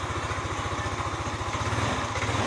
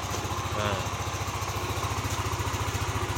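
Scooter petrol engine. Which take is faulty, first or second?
first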